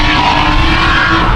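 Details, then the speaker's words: Drift car: a loud, raw, unmuffled roar. The exhaust line is suspected to be broken in two, not confirmed. "Là elle fait un beau bruit magnifique mais c'est pas normal. Je crois qu'il a perdu la ligne sur le la ligne, elle s'est pétée en deux, je crois."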